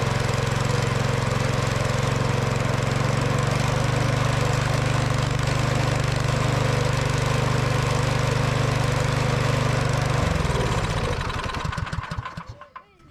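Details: Curbside Craftsman MTD-built snow blower, revived after arriving with a broken pull cord and no oil; carburetor needle straightened and fresh fuel added. Steady, even single-cylinder chug with a firm low beat, holding speed smoothly before shutdown; running normally.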